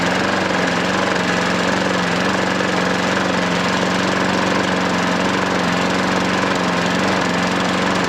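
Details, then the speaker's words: Hayter 43 lawnmower freed from hydrolock by turning it over to expel oil: steady, even drone with no knocking or misfire and a little exhaust smoke; stop control slightly dodgy; normal running. "Really is nothing. I mean, it might burn a bit more. Seems to run alright, doesn't it?"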